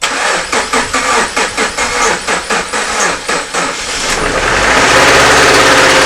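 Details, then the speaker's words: 2013 Subaru Impreza, first start after engine installation with oil and coolant just filled, a weak battery and the coolant still bleeding before warm-up. Slightly labored cranking at about two pulses a second, then it fires and settles into an even, smooth idle: a normal start. "all right i know the battery is weak i've been charging but you know in the last couple days i haven't charged that's what sounds pretty good"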